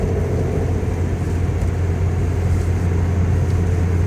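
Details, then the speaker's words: 2003 Pontiac Vibe GT 1.8L driving about 60 mph: a steady low droning hum under road noise from a worn, wobbling driver-side front wheel bearing; it goes away when turning and returns going straight. "It goes away when turning and then returns when you go straight."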